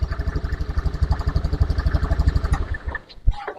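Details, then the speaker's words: Honda Beat FI fuel-injected scooter with a hard-starting fault, after reassembly, kick-started because the battery is weak: small single thumps at an even four beats a second, then a clean shutdown. The engine now starts and runs healthy. "Nah teman-teman bisa Perhatikan ya Jadi untuk motor ini sudah hidup ya Saya matikan dulu"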